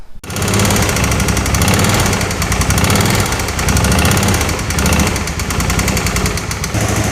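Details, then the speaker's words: Original knocking engine of a 2005 Suzuki V-Strom 650, restarted with the oil unchecked: harsh, uneven hammering with a lumpy, surging beat, described as "not happy." Rough running, cause not confirmed. "Oh, it is not happy. Whew."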